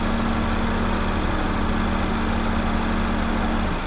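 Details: 2009 Chevy HHR 2.2L Ecotec flex-fuel, after fuel trim reset fixing incorrect alcohol-content reading (P0172, P0300, long crank): even, settled idle with steady low beat, no stumbles or misfires; trims improved to about -9; normal idle.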